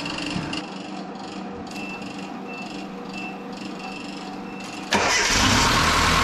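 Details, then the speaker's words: Datsun with KA24E engine, long-sitting, first start after new fuel pump and fuel system work, cranked first for oil; fast even ticking from the hydraulic rocker-arm lash plungers, expected to quiet as oil pressure builds. "Alright, it's gonna be a little clicky at first. Gotta build up pressure all the way up into to the rocker arms and all of that. It'll quiet down in a minute."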